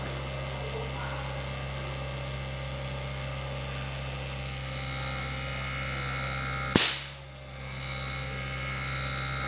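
Steady, even fan and compressor hum with one sharp snap partway through; the outdoor unit is running normally.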